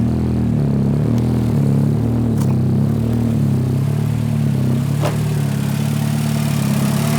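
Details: 500hp Honda Civic first start after installing a Gates RPM racing timing belt, a KS Tuned tensioner and an H/F tensioner with walk blocker, with the balance shafts set; steady, even idle with a smooth low hum and no ticking or knocking. Engine sounds healthy.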